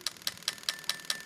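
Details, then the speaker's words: Lexus LS400 1996-97 V8 fitted to an IS200 via a plug-and-play harness: each injector checked cylinder by cylinder gives sharp, crisp, evenly spaced ticks about five a second, clicking normally. "yeah they're clicking away number five yeah they're clicking away number seven yeah that clicking away"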